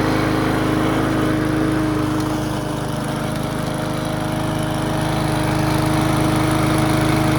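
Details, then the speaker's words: Abandoned Briggs & Stratton push mower, outside after about 10 minutes of running and cleaning up: steady, even single-cylinder drone with constant pitch and no misses or knocks. Running smoother, though the carburetor may still have dirt and debris. "well it's outside been running for about 10 minutes just cleaned it up running a little smoother"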